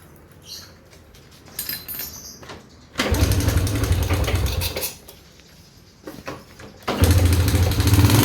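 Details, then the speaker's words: Honda GN5 with rough noise after engine rebuild, cam chain replaced without cure: two short bursts of running with rough, rattly top-end clatter; worn rocker arm shaft bores. "Oke, kali ini kita akan melakukan perbaikan pada motor jenis mesin ini ya, GN5 ya. Ini keluhannya itu suara kasar."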